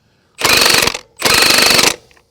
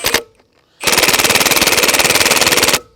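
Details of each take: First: Milwaukee M18 FUEL 1/2" high torque impact wrench (Gen 3) on speed setting three, running trailer lug nuts: two clean bursts of rapid, even hammering, each under a second, no squeal or stalling; normal operation. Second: Milwaukee M18 FUEL Gen 3 1/2" high-torque impact wrench on speed one in setting mode, putting trailer lug nuts back on: rapid hammering about twenty blows a second for two seconds, then auto-stops; switching to speed three.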